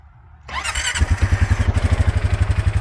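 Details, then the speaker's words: Rubicon off-road machine with a snorkel that has been in mud and water, being started for sale: starter whirr, then it catches and settles into a strong, even pulsing idle; a clean, healthy start. "It runs. That's all I have to say about that."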